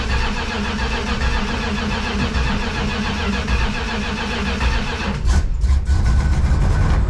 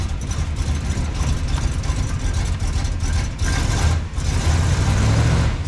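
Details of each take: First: Junkyard Plymouth Fury wagon (believed 1965) V8, sat about 20 years, timing not yet set: uneven cranking with weak catches that never run; fuel pump not primed, no fuel reaching carb bowls. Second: Roughly 1965 Plymouth Fury wagon V8, revived after about 20 years parked in a yard, revs raised: deep, even rumble with steady firing and no knocks or misfires; total timing around 39–40°, alternator charging once RPM rises; owner thinks it may need rejetting.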